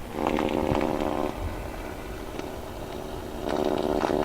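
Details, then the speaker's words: AM radio tuned to 1218 kHz picking up a strong spurious signal: raspy buzz pulsing about three times a second with crackly bursts, stronger and crackling when the radio is closer; source not yet confirmed. "You hear the crackle too? It doesn't have that crackle when we're further away."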